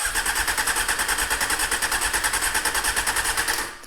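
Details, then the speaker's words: 1998 Honda CBR600 that has sat for about a year; the chokes don't fully operate. The starter whirs in quick even pulses, about three a second, for several seconds and never catches: crank, no start. Dirty carburetors suspected, not confirmed. "No. It could have run. Yes, nothing wrong with that as a first step. So my best guess is it's a case of dirty carburetors."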